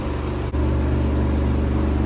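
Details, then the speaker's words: Twin-tub washing machine, formerly with dead wash tub and slow spin tub, after repairs including capacitor replacement, spin-dry test: brief dip then smooth, constant low drone, no rattles or rubbing; spin tub runs normally. "โอเคเดี๋ยวตอนนี้ครับปั่นแห้งกันนะครับลองดูครับอ่าก็เรียบร้อยก็ได้ครับ"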